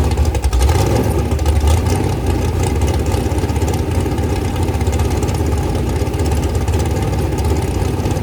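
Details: Rebuilt 426 Gen 2 Hemi crate engine (new heads, intake, pistons) on a run stand, flat-tappet cam break-in at about 2400–2500 rpm, 32° timing, blipped but kept under 2,800: deep steady V8 rumble, no ticking or knocking; normal fast idle.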